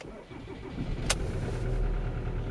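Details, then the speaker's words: 2003 Ford Mondeo Mk3 estate 2.0 TDCi turbo diesel, 130 hp, just started, before programming with Autel DS708: low uneven lumpy thumping idle with a sharp click, nearly stalling; injectors suspected, not confirmed. "it's really rough it's hardly staying even it's gonna conk out right"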